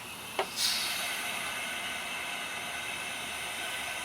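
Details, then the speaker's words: Forklift Hydrovac brake system, compressor-fed pressure bleeder at low pressure (about 12–15 psi): a sharp click as the valve opens, then a steady, even hiss of air flowing through to positively pressurize the brakes; normal. "but now I've got air pressure flowing through it so that will positively pressurize the brake system"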